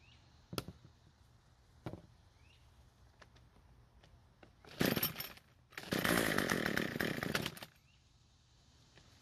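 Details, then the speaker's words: Cub Cadet two-stroke trimmer on ethanol-free fuel, runs at full throttle: screams briefly then dies instead of idling; starved for fuel, low-speed (L screw) mixture too lean. "so since it died while idling we're gonna try and adjust the L screw which is the scrutineers the engine it seems to be starved for fuel"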